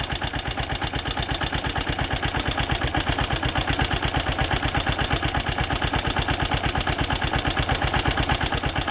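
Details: AKT TTR 200 motorcycle arriving for service: loud, fast, even thumping at idle with a clattery top end, excessive engine noise; needs timing/tune-up and cleaning.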